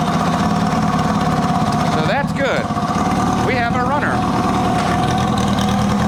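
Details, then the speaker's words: 1980 Kawasaki KZ750 motorcycle started with clutch in, choke on and fuel tap off, then idling on its own with choke off: a steady, even idle with a smooth low hum and no stumbles or knocks. One carb float still needs attention. "Actually doesn't sound too bad either. choke off. Damn, this doesn't sound too bad at all."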